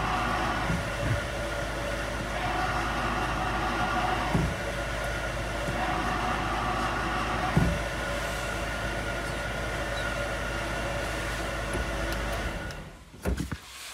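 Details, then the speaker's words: Idling car with a worn clutch release bearing: steady rough grinding whir that grows stronger when the clutch pedal is pressed; bearing replaced, afterwards quiet engine and no noise with pedal pressed. "اذا عند الضغط على الدبرياج تزيد شده الرحي وهذا دلاله على تلف البليه ويجب استبدالها"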